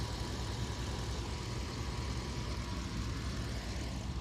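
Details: Truck engine idling after an overheat, restarted back at the house for inspection; no hose leaks, water pump pulley turning, owner thinks the pump struggled pushing slushy coolant. Steady low rumble with even rhythm, no knocks, squeals or misses; normal idle.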